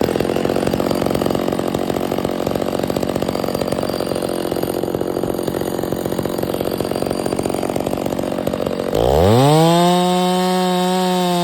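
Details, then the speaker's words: Stihl MS 660 with 32-36 in bar, after carburetor and air filter cleaning fixed failure to hold idle: bogs into heavy pine cut, then clears and screams at steady full throttle, pulling fine; fuel cap leaks, smokes a bit. "I know it's just Pine but that was pulling it no problem the whole entire 36 32in bar"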